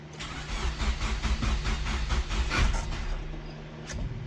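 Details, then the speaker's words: Nissan 200SX project car being revived: slow, uneven cranking at roughly two turns a second that never catches; starter drags on a weakening battery and the engine won't fire. "that's a buzz kill battery was doing great now all a sudden it ain't"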